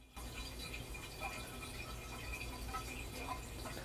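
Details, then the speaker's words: Very old American Standard toilet: steady faint hiss of water trickling and refilling with no shutoff, constantly running; flapper suspected as the cause. "So yeah, it's just constantly leaking. Most of the time, it's usually a flapper that is the cause of that."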